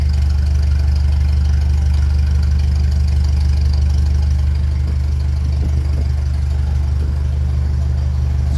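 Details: 1957 Ferguson 35 TVO tractor after cylinder head rear plate refit: steady even low thump at about two beats a second, nothing knocking; idle around 800 rpm is too high, to be brought down toward 400.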